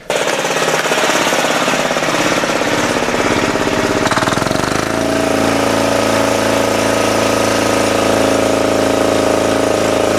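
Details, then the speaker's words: 10hp single-cylinder LaunTop Yanmar-clone diesel after about 5 minutes of running outdoors at about -4C. Steady, even thumping idle at about three and a half beats a second. A normal idle, with still a little smoke at idle. "Well, it's been running now for about 5 minutes. Uh, still a little bit of smoke on idle, of course."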